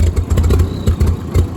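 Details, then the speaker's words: Old Ford 2N tractor with badly worn spark plug wires, carburetor also to be checked: uneven lumpy low chugging with irregular surges and dips, close to stalling; rough running, unfit to drive; cause not confirmed. "Nah, it sounds awful. Yeah, this thing ain't no condition to drive."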